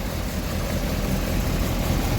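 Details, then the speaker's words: Triumph TR7 just after an inline fuel filter was installed, with fuel flowing through it: steady, even low rumble with no misses or knocks; smooth healthy idle. "TR7 now has a fuel filter, and it even sounds like it's running."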